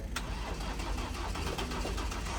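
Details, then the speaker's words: Ford Transit hybrid conversion van with a drained battery, being jump-started from another car: steady strained cranking with faint uneven pulses that never catches into a run, so the start fails. "seems like he wants but really weird sound so you're dead again"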